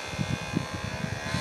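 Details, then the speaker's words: 3D-printed mini turbine with tiny RC helicopter motor cranked up to 3 volts: steady whir with rough rapid fluttering buzz on top; noise is just vibration, sounds less bad when held. "doesn't sound as bad if I hold on to that noise it's just big vibrating"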